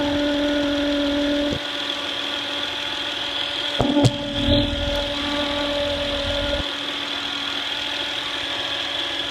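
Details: 2008 Honda Accord EX-L V6: steady high-pitched whine over a smooth idle that doesn't change with the engine; a bad diode in the alternator causes it.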